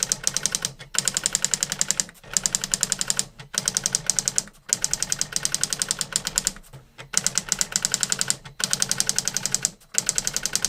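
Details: New-in-box circa-1985 Epson DX-10 daisy wheel printer printing a Windows 2000 generic text-only test page via printer port: quick bursts of sharp rapid typing clicks, short pauses at line ends; worked perfectly, normal printing.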